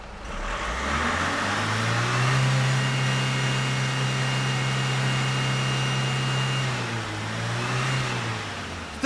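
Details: 2002 Renault Master 2.2 dCi van with no power, no codes and black smoke, after a plug reconnected: diesel revs smoothly to a held rev and drops evenly, no knocks or misses; some black smoke remains, EGR valve possibly clogged.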